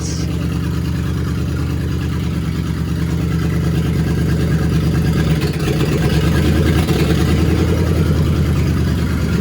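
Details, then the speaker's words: 1955 Ford F1000 rat rod V8, cold at 4 degrees outside, just after an intake replacement: a lumpy, steady idle with an even low rumble, no misses, knocks or leaks, so it is idling normally. "Oh, yeah. Oh, it sounds good, baby."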